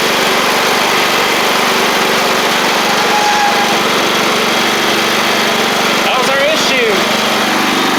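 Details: Free John Deere L110 riding mower after replacing a faulty fuel pump that was flooding the engine with too much fuel: a steady, even engine note with no misses or surging, running cleanly now; normal running.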